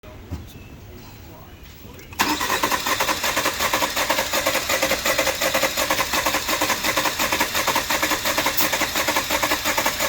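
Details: 2019 Jeep Cherokee 2.4L with code P103E: a long, rough start with an uneven chugging beat as low-compression cylinder 4 fails to fire, causing a misfire.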